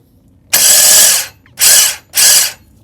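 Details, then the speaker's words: Neglected ET4 scooter, kickstart attempt: three quick high-pitched whirring ratchet strokes while the crankshaft doesn't turn; a missing washer likely let the clutch/variator assembly loosen and the kickstarter gear teeth are badly worn. "It's not doing anything like this shouldn't be moving like that. And when I crank it,"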